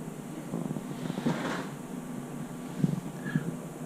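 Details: HSP H100 (94128) short course RC car hums but won't drive after racing and drifting: steady low electric hum with light clatter as the motor spins freely, pinion not meshing with the spur (main) gear; fixed by replacing main gear.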